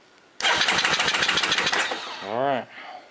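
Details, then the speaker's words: Honda ATV just after refitting the original starter rebuilt with repaired brushes: starter spins briskly with fast even chugs for about two seconds, then the engine catches and revs briefly; healthy cranking and start. "reinstall our new rebuilt starter here just as easy as it goes in just as easy as it came out yeah sounds like it's running good"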